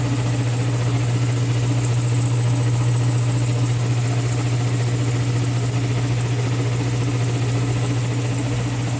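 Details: Old Worthington belt-drive compressor after a leak was fixed: steady low hum, even pumping beat just under two per second, no knocks or squeal; runs smoothly, gets hot.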